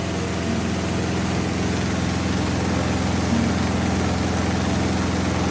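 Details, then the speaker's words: Samsung washing machine on spin with clothes loaded under a cover; loud, steady roar with a fast thrum about three and a half beats a second, holding through a long spin of about 10 minutes, like a generator; cause unclear. "भाई ये washing machine नहीं, generator है। Generator."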